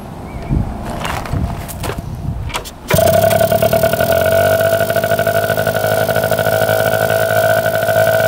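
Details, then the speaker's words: 1971 Yamaha JT1 mini enduro two-stroke, stored about 30 years, idle just set after clearing mouse droppings and poison from the exhaust, still spitting green pellets. After some clatter it fires and settles into a steady, even burble: normal idle, runs really good. "but it's just spurting out all these little Pebbles that are green so I'm guessing that's poison but um yeah she runs really good"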